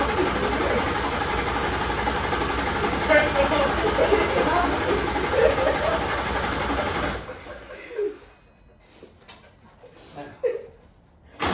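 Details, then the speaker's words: Nissan 240SX with VQ35DE swap and aftermarket wiring harness and CAN delete, new plugs and fuel pressure regulator, crank sensor checked, has crank, spark and fuel: starter churns steadily about four pulses a second for seven seconds, slightly harder; never fires. "Sounds like it's cranking a little harder."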